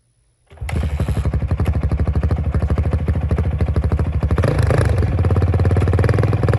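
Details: 2005 Honda CRF450X, sat 10 years, after fix: hot start blocked off, main jet upped to 190, pilot 45. Fires first kick into an even single-cylinder thump, picks up cleanly on throttle without bogging; runs great, normal running.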